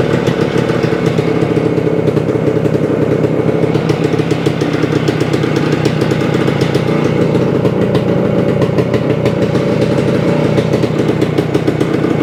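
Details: 1975 Suzuki TS-250 two-stroke, first start after a no-start, about 30 degrees out: crisp, even buzz holding steady the whole run, no stumbling or misfire; healthy after loose screws re-secured, stator rewired, coil grounds repaired.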